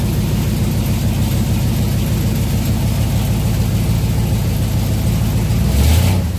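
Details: 1967 Chevelle V8 on original wiring after ignition switch reassembly; deep, even rumble holding steady idle with small blip near end, no knocks or misses; oil pressure gauge about three-quarters, alternator not yet charging; healthy idle.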